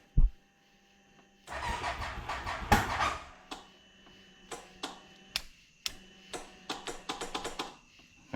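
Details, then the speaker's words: CFMOTO Z-Force 800 side-by-side being revived, battery just hooked up: short starter cranking burst that doesn't catch, then clicks and silence; the starter solenoid seems uncooperative. "we got to spin a few times. Sounds like that starts solenoids being a little a little not wanting to cooperate."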